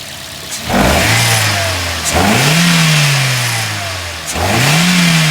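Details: Toyota GLi after tappet (valve clearance) adjustment for a bad engine sound: three clean throttle blips rise smoothly from a quiet idle and fall back with no top-end tapping; valve train sounds right.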